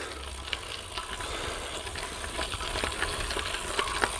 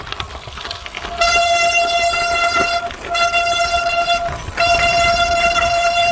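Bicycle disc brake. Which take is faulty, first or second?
second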